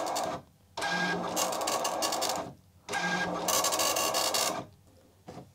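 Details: Commodore MPS 1500C color dot matrix printer from the 1980s, driven by an Amiga, color cassette just installed: rasping print-head passes about two seconds long with short pauses; printing normally.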